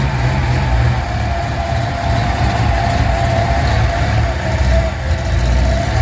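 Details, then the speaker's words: 1981 Datsun 280ZX revived after nine years parked, new battery, fresh fuel and oil, still needing a tune-up: settles into steady even idle, picks up cleanly on light revs, no knocks or misses; running normally, actually not bad. "actually not bad"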